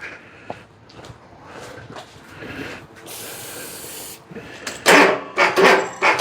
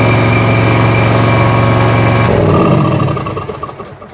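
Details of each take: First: Bobcat zero-turn mower with no-start electrical faults, after brake cleaner shot into intake: rough cranking bursts, then catches and runs unevenly, starting on its own. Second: Bobcat zero-turn mower after electrical repairs and reconnecting the oil sensor; steady, fast, even engine beat that stays running, normal running.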